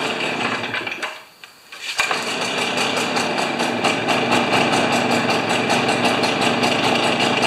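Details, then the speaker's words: Stihl BR430 backpack leaf blower, neglected three years, plug cleaned: sags almost to a stall, then runs rough and uneven without clearing; acting like a plugged muffler, later found plugged. "it's acting like a plugged muffler"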